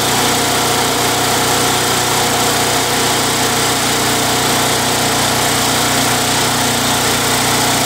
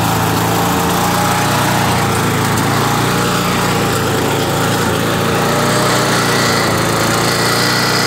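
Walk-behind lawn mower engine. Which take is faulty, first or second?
second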